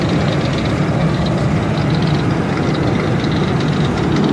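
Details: 2003 Ford Expedition V8 idling: faint quick ticking over low rumble; owner suspects a pulley, hopes not internal; engine ticking at idle.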